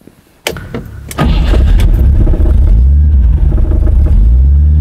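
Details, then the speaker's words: Rover V8 3.9 L after distributor replacement, first start with timing only statically set and vacuum hose disconnected: cranks, catches and settles into deep idle with slight unevenness, running but not quite smooth; needs strobe timing adjustment. "that sounds pretty good to me all ready but it's not perfect and now it's time to further adjust it"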